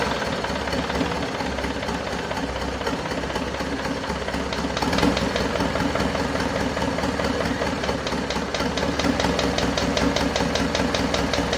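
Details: Isuzu Panther 2.5 diesel at its first start after an overhaul and turbo/intercooler upgrade, assembled about 2 weeks before. Rough idle with slight uneven ticking over the clatter, while oil pressure reads normal. The mechanic suspects parts not yet fully settled; the finding is loose valve guides.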